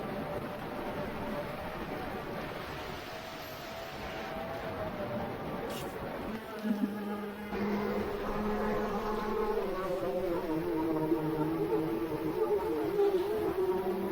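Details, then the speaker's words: FPV quadcopter (Falcon 7) crash DVR audio: buzzing motor tone turns wavering and warbly as it keeps trying to fly, shaking unevenly; suspected broken or thrown prop, not a motor coming off. "that to me sounds like you broke a prop"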